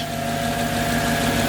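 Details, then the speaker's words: Mercedes C55 AMG M113 V8, first start after fitting NUKE performance fuel rails; steady even idle, smooth low rumble, no misses or knocks; a tiny fuel leak is suspected at the fuel pressure gauge or regulator. "but holy crap you guys it is running"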